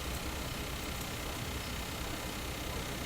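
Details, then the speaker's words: Viking console stereo with FM fading: station fades to steady even static hiss, reception completely gone; source unknown, owner fears a fault in the IF coil itself. "there it goes it's completely gone"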